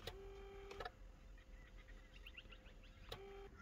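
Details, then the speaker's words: Mercedes CLK320 steering column: reach works, but tilt gives a brief clean motor whine with no load. The motor spins uselessly because the white rubber flex coupling between the tilt motor and gearbox is cut. "so this issue when you hear the a modern noise that means there is no problem that your electrical it's only the matter white rubber Flex being cut and damaged"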